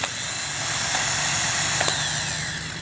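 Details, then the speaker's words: Known-good starter removed from a 2003 Honda Accord, bench-tested: steady high-pitched electric whir holding even for about three seconds, then easing as it winds down; normal continuous starter motor spin. "so you're going to hear the motor spinning okay so that's you can hear the continuous motor spin"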